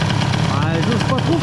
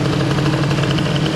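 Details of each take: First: Airsal XT77 moped two-stroke, first test after fitting larger reed-valve intake box, idle raised: steady, even low burble with no hunting or stalling; idles smoothly and stably. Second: Airsal XT77 kit scooter, first test after the upgrade. The two-stroke idle is steady and buzzy but noticeably fast and even, with no dip: the idle speed is set too high and needs adjusting.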